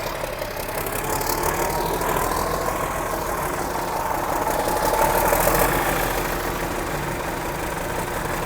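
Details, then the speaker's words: Mack F600 old diesel, just fired up after checking fuel prime; oil pressure coming up through the big filter. Even, steady idle with light clatter, no misses or odd knocks: normal healthy idle. "but you know she's happy there so yeah beautiful absolutely magnificent hear that turbo whistle"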